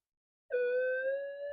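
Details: Minelab GPX4000 metal detector after repair, running from a battery pack: a clean, steady hum with no crackle or wavering comes up at switch-on; the threshold sounds normal.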